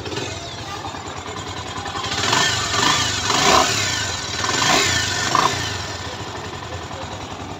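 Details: Bajaj Pulsar 2016 after engine rebuild, oil had been found very low: single-cylinder idle then several quick throttle blips, revving cleanly and settling back without knocks or rattles; normal running.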